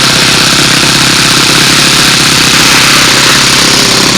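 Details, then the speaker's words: Glow engine on break-in, needle 3–4 turns out running very rich, RPM kept under 4,000 for the first hour with glow battery left on; loud, high, slightly burbly buzz at steady speed, raw fuel and oil spitting from exhaust. "You see we got plenty of raw fuel coming out of there, some of the oil too."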